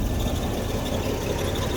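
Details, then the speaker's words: Holden VK Commodore Berlina, stored over 10 years, running on original tank and fuel pump: low lumpy idle with uneven throb, rough running; owner suspects a bad injector, injector cleaner or diagnosis planned. "so it still runs a little rough so I reckon one of the injectors might be no good"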